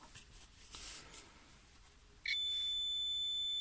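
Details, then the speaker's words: Renault Clio 2 with intermittent horn fault; multimeter on continuity across the steering-wheel horn contacts, a steady high beep when pressed shows the contacts close, so the buttons are not the cause. "Quand le circuit est fermé, ça fait un bruit. Et je vais tester. Donc vous entendez, quand je pousse, il y a le contact."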